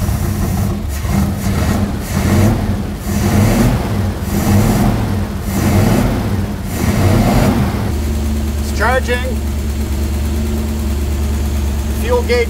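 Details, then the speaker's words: 1965 Dodge A-100, first start after 22 years stored, just after flooding from a carburetor float problem: steady low V8 idle, lumpy and uneven with heavy rumble; running wicked rich. "thank you she is flooded now [Applause] oh yeah little beauty look at that running Wicked rich"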